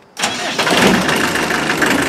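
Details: Land Rover 90 with 2.5 naturally aspirated diesel, injector pump refitted, after repairing a bad wiring connection behind an intermittent start and no charge: quick crank, catches cleanly into a steady, even idle, no misses or knocks; normal start.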